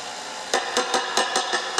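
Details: Fender Blues Junior III, first 12AX7 preamp tube being tapped: seven sharp taps about a quarter second apart, each followed by a brief bright ring through the speaker. The microphonic first tube causes high-frequency 'tinnitus' ringing.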